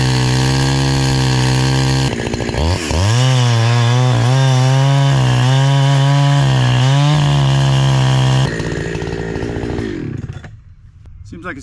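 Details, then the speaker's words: NEO-TEC NH872 71cc chainsaw (Husqvarna 372 XP clone), with 28 in bar, after carburetor tuning: high scream holds steady, sags briefly in each cut and recovers cleanly before idling down; running pretty good now. "doing better seems like it's running pretty good now"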